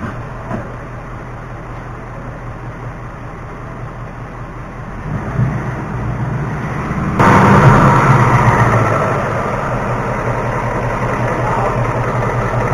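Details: 2018 Mustang GT V8 with a newly fitted NBRP cat-back exhaust, idling; loud burbling idle with a quick, fairly even tick holding with engine speed, source unconfirmed.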